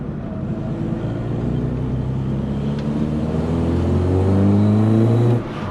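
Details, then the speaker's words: VW Polo Coupe engine, freshly reassembled, on its test drive. It pulls smoothly through the revs with a clean, steady note and no knocks or rattles; power feels right, with no high temperature or dash warning lights. "oh it definitely sounds good um feels okay you know power feels there uh there's no horrible temperatures or lights on the dash"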